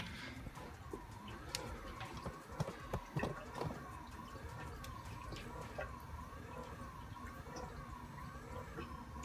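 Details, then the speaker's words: Maxspect Gyre XF 230 pump, pulse mode ramping 10 to 70% in Red Sea Reefer 250, beside MP40 at about 60-70%: motor whine rises and falls about once a second; noise from Gyre motor, MP40 silent. "So I don't know if you can hear the noise of the motor ramping up and down, but that is the motor of the gyre, not the motor of the MP40. The MP40 is dead, 100% silent."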